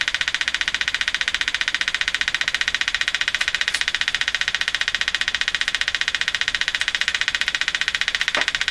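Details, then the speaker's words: Arvin 444A four-tube steel-case radio on the bench, signal generator injecting 455 into antenna wire: sharp even crackling pulses about two and a half per second over hiss, machine-gun buzz; suspected interference from outside the radio. "we have something just turn down the machine gun here and I'm pretty sure that's interference coming from outside the radio"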